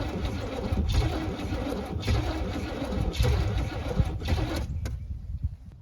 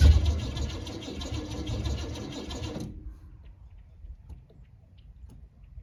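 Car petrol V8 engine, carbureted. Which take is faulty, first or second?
first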